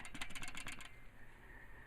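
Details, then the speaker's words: Old original clutch disc from a 1996 Jeep Cherokee XJ, 262,000 miles, clutch was chattering: about seven quick metallic rattles in under a second as the disc is shaken; worn-out damper springs rattling in their windows. "these springs are all wasted now"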